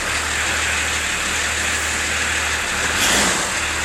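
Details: Old, agricultural-type diesel, nearly 30 years old, showing 32,000 miles believed genuine: it catches immediately and settles into a steady, even idle with no knocks or misses. Normal, healthy idle.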